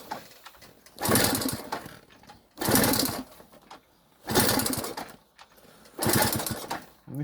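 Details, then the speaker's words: Delta moped, cold start on old petrol refilled from the bottle, some choke and throttle tried: four second-long cranking bursts, engine spins but never catches; owner suspects fuel not getting through, possibly a leaky or wrong fuel line. "А так поки що поки щось воно не дуже заводиться. Може газку трохи підкрутиться."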